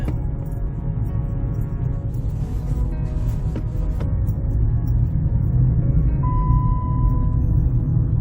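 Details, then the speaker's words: Jeep Liberty on a rack with the front wheel spinning; deep, continuous growling rumble from a worn front wheel bearing that passed a recent inspection. "Hear that growl? That's not normal."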